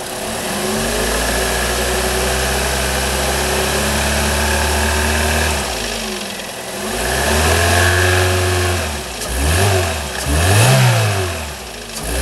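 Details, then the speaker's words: Holden/Chevy Cruze 1.8 F18D4 warming up after a head gasket replacement for coolant in the oil, a pressurised cooling system and a misfire. A steady, even idle, slightly fast, then quick throttle blips that rise and fall cleanly with no knock or tick. "so far so good um engine started quickly it's idling smooth it's idling a little bit fast but that idle will settle down soon enough"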